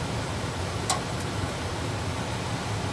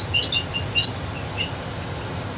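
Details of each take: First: Trane gas furnace, troubleshot for a false high-limit error, running after loose panel parts were secured with two self-tapping screws to stop noise and vibration: steady airy rush over a low, even hum, one brief click, no squeak or rattle. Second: Trane gas furnace with a no-heat false high-limit error: short, irregular high-pitched squeaks over a faint low furnace rumble as a loose cabinet panel vibrates against sheet metal.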